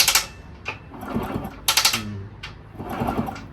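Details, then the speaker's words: 1974 Indian SE74 dirt bike, Minarelli P4-70 engine, sat about 30 years, turned over by hand and checked with stethoscope: gritty crunching bursts about every 1.5 seconds each turn; source not found, oiling seemed to improve it. "So, I just want to confirm where that little crunching noise."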